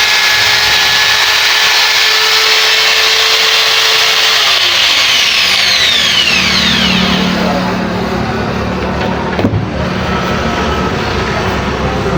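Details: Angle grinder after switch and carbon brush replacement, armature checked good: high steady whine winding down smoothly as the motor coasts to a stop, no rattles; normal running.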